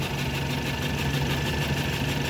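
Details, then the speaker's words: Ford Taurus at idle with the check engine light on and strong vibration, caused by a defective number 4 spark plug with a burnt center electrode. Rough, uneven, stumbling idle with shaking: single-cylinder misfire. "Nakacheck engine palyado siya yun oh napakapalyado makina oh lakas ang vibration"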